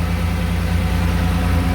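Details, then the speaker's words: 2007 Dodge Ram 1500, 3.7L V6, at idle after a DIY Walker muffler and tailpipe replacement: steady, even low burble with no puffing or ticking; no major exhaust leaks, especially before the muffler. "Sounds pretty good. You can kind of tell there's no major leaks, especially before the muffler. You'd hear it much louder."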